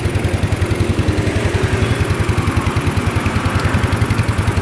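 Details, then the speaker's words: Old Yamaha Mio that was totally dead with a flat battery and all lights out, found with a badly burned stator coil blamed on the regulator-rectifier; after the sockets are reconnected it starts immediately and idles with a healthy, even beat and no misses. "Mantap ya, langsung hidup, mantap, berhasil ya, motor langsung hidup ya."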